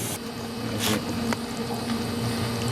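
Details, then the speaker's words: GE Nautilus dishwasher after removing a piece of wood jamming the pump that caused humming and no draining: motor turns with steady hum under swishing, gurgling water, filling and draining normally after repair. "now let's see if it will work so the motor's turning that's good water's filling"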